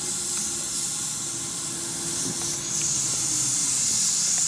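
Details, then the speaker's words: Audi TT 1.8T 20v APX engine (225hp, K04 turbo) in a Karmann Ghia drag car on the dyno, intake pressurised with a compressed-air boost leak tester: steady high airy hiss with no engine running, indicating a boost leak somewhere in the intake. "I've got it all loaded up on the dyno now and I'm gonna do a quick boost link check using this compressed air kit and I'll show you how it works"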